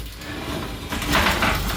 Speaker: So once again, if we have a look at those wheels, they're definitely rusted. This one's not actually sitting very straight either, so we're going to have to make some adjustments there.